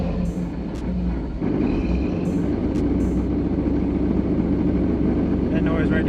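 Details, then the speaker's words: Heater blower motor on a 1991 Camaro Z28 runs with a loud, rough rushing drone and uneven rattle while the fan is on; worn blower motor, to be replaced with a new one. "yeah it ain't supposed to sound like that so what i'm gonna do is uh i got a new i got a new uh blower motor for the heater"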